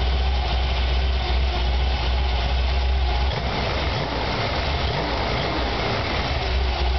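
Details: Chevy 454 big-block V8 on its first start: a deep, loud idle with an uneven lope and beats at irregular intervals; rough idle, cause unclear.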